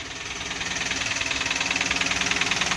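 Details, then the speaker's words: Engine with a lit warning light, suspected sludge, intake manifold off and oil pan cleaned, started with some sensors unplugged: fast even knock about three per second over the idle. Engine knocking at start-up, cause unknown. "that might not get rid of the knocking but it will make it run"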